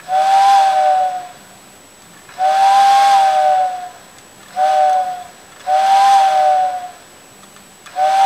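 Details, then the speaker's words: Vintage TYCO steam locomotive whistle after its original motor was replaced with a can motor from a CD player and further reworked: clean, steady whistle blasts that start and stop crisply, no more vibrating noise, motor faintly audible; whistle works properly. "no more vibrating noise you can hear the motor but you could hear the motor where the original 12"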